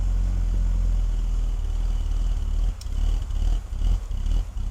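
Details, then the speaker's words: BMW E46 330i on a cold start: the idle lopes, the rumble swelling and sagging about twice a second. Unplugging the mass airflow sensor made no change, and a dirty idle air control valve is suspected, to be cleaned. "so besides it loping like that it's running pretty good on cold start"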